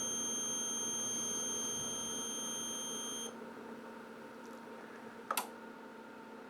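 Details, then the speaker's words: ABB ACH580 VFD performing motor ID run (parameter 99.13) from hand start, sending pulse trains to a small motor: steady high-pitched whistling tones for about three seconds, then a click as the identification run finishes normally. "And then from the home display, you hit the hand start, and it should tell you it's going to do a motor ID run. And you can hear it."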